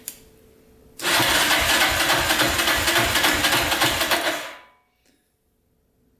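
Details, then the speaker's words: Yamaha Raptor 660R single on a cranking compression test, throttle held open, reading about 93: even cranking thumps about 3.5 per second with no firing; low compression, though decompression valve may affect the reading. "same thing not too good huh um that's not good at all"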